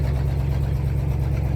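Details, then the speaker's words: 1966 Jeep (Kaiser) Gladiator J2000 with 327 Vigilante V8 on its first drive in 21 years: low uneven, lumpy rumble; runs rough, owner suspects a leaking exhaust manifold gasket; no smoke. "I was just the time I went around the grass there it kind of started just you can hear it missing and feel it you feel the whole truck Shake um I I and now it's just rough because that exhaust"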